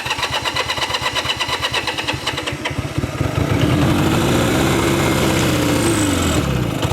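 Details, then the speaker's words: Revived abandoned Honda Dream motorcycle, started for a ride: a few seconds of even cranking pulses, then catches and runs smooth and steady with throttle blips; runs pretty good, healthy engine. "Man, what a great bike. Runs pretty good."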